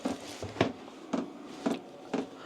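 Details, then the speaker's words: Hcalory diesel parking heater in a workshop in its startup priming cycle, fuel pump pulling fuel into the engine as the fan grows louder: steady ticking about twice a second over soft fan hum; healthy normal startup. "So, it's now pulling the fuel through into the engine. If you can hear the actual this fan's gradually getting stronger, it's getting louder"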